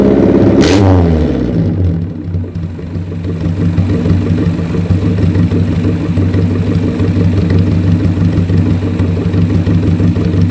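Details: 1983 Suzuki Jimny SJ410 with rebuilt stock F10A engine, Aisan carburetor, straight-pipe exhaust, after cold valve lash set to 0.10 mm intake and 0.15 mm exhaust: a sharp rev that rises and falls back to a steady idle with no ticking; healthy.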